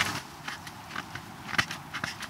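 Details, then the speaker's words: Newly installed car speaker in a box truck conversion, wired to a new Android radio: irregular sharp crackles and pops come and go as the speaker is moved. The two wires were not connected properly and needed soldering, a loose speaker wire connection. "oh my god it is so much worse on this side yeah do you hear the sound when i move it"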